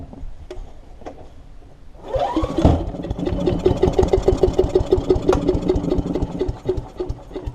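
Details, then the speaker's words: Earthquake wood chipper with Briggs & Stratton Intek I/C 206 engine, left to rust two years, no air filter box; quiet, then catches on starting spray with choke off and runs ragged, dies without tank fuel: fuel starvation, carburetor going to ultrasonic cleaner. "that's certainly fired up then all right so just take the uh carburetor off and uh stick it straight into the ultrasonic cleaner"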